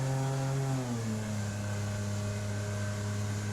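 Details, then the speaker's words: Solar 470 SJT inflatable jet boat on the river; owner hears a whining start around mid-throttle and has tried adding grease to see if it helps. Steady engine drone easing off, then a faint sustained whine at mid-throttle; cause unconfirmed. "I hear my boat starting to make a whining noise around mid-throttle. I've tried adding grease, see if that alleviates it."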